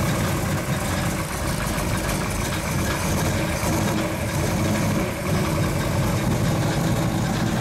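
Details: 1935 Chevy Master with fresh 409 stroker V8 at first start-up, on jack stands running in the differential: deep, steady, lopey idle rumble with no knocks or ticks; oil pressure and temperature good, so the idle is normal.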